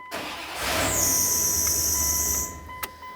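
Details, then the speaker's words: Engine cranks briefly and starts on a 1994-2001 Dodge Ram 1500 after ignition starter switch replacement, catching into a running V8 with a squeaky belt squeal and audible fuel pump, then a steady tone; vehicle starts. "The vehicle does start, go ahead and remove the key."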